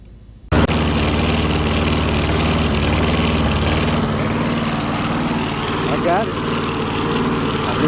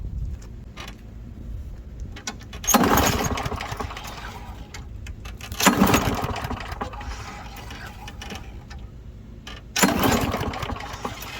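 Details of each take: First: Small single-cylinder lawn mower engine, after carburetor work and priming, catches and settles into a steady, even putter with no stumbling; runs healthy. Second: Lawn mower, after carburetor removal and reinstall with the gasket and fresh gas: three rope pulls give short cranking bursts that die without catching. Owner thinks it wasn't primed enough times; no start after pull.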